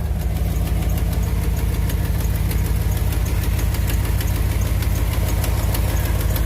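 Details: 2001 Dodge Ram 1500 4x4 at idle: sharp, regular ticking about two per second keeping time with the engine, heard from the back of the exhaust manifold. Exhaust manifold leak.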